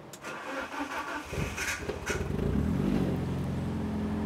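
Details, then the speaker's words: Rare Italian car, £300 non-runner, complete engine rebuild, variator work done, injectors swapped to cure rough running: brief crank, catches cleanly, settles into steady, even idle with no stumbling or smoke; healthy start. "it's not smoking it's nice car isn't it sounds good and it hasn't James it hasn't even got the horrible variator noise it's all been done"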